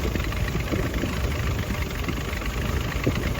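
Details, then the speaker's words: 1946 Willys CJ2a four-cylinder, revived after sitting 40+ years in a forest, first running at idle: the idle surges and sags every second or so, bouncing badly. Timing being set; owner suspects the valves need adjusting. Rough, hunting idle. "But for right now, we have it running and idling. It's bouncing. It's bouncing crazy."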